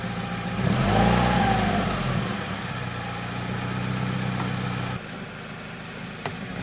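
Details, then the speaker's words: Salvage Subaru BRZ, microphone placed underneath near the exhaust: the engine blips and settles to a rough idle with a hollow puffing rasp. Owner believes it is an exhaust leak, with the exhaust not hitting anything; suspected, not confirmed. "No, just leaking. We're not hitting anywhere. No. No. I bet you that's what I'm hearing."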